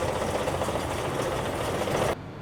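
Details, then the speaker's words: Honda 30 outboard with bent propeller shaft from impact, carburetors cleaned but untuned, rough idle with rapid indistinct ticking knock; knock suspected in lower unit/driveshaft. "Some kind of indistinct knocking presents. The carburetors are not tuned yet, so it works like this. Let's try to remove the lower unit and start without it - maybe this knock comes from the lower unit."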